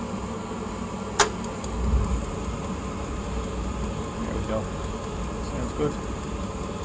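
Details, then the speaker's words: Glow Worm Micron 50FF boiler fan after WD40 applied to the motor shaft, cover refitted: steady even hum with no squeal or whine; fan now spins freely, normal operation. "all right it sounds a lot better doesn't have that like pitch kind of squeal"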